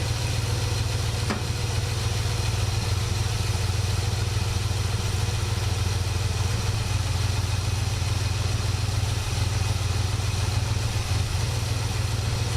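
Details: 1967 Buick GS340 at cold start: a low, slightly uneven, loping idle over a deep exhaust drone. The owner blames the ignition system, and faulty points were later replaced. The remanufactured carburetor's idle circuit was also flowing poorly.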